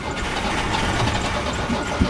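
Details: Steady low churning of the starter with the engine stumbling and nearly catching near the end, but it never fires up and runs; old van with standard four-speed; cause suspected, not confirmed.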